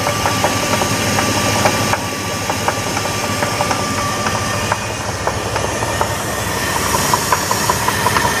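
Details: 2000 Jeep Grand Cherokee 4.7 V8 idling with an uneven upper-engine knock about three per second and short chirps near the end; cause unclear.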